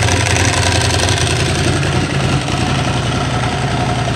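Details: Ducati Hypermotard 1100 S just restarted after a four-year rebuild, oil freshly topped up: lumpy V-twin idle with the usual dry clutch clatter on top, steady and even; engine running fine.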